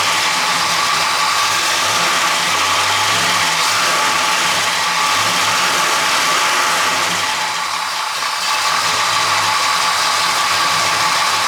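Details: Running petrol engine with a busy, crackling popcorn-like rattle inside it. Loose parts, bad bearings or timing chain were investigated, and a water pump was replaced unnecessarily; the rattle was traced to one unexpected component.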